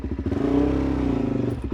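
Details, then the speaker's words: 2006 Suzuki DR-Z400SM single after carburettor swap (52 pilot, 155 main jets): steady even idle with a light rev lift; revs drop quickly and it purrs when the clutch is dropped, a sign of a well set-up carburettor. "And uh with the idle as well, if I drop the clutch, it just purr and the revs drop down really quick. And that's a really good sign to a well set up carburetor."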